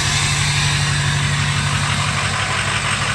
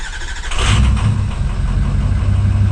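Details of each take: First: Ford 6.0 Powerstroke diesel just after a new injector install, intake not yet fitted, first start with oil pressure: steady idle with even regular clatter about four beats a second, no misses; running smooth. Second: Ford 6.0 Powerstroke diesel with new injector, next-morning start: lumpy, uneven cranking, one stroke lighter than the rest, before catching; owner suspects low compression on one cylinder, compression check planned, not confirmed.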